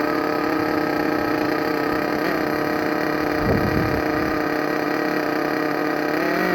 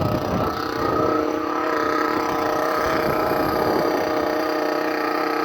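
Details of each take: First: Thunder Tiger EB4 S2 nitro RC car with aftermarket exhaust, just started and warming up in cold weather: high buzzy single-cylinder scream, steady then climbing, slightly burbly; owner thinks it's running a little rich and will adjust tuning. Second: Thunder Tiger EB4 S2 nitro buggy with an aftermarket exhaust, just started in cold weather and warming up: very loud, high, buzzy steady drone with a sharp rasp and no misses. Even idle, possibly running slightly rich.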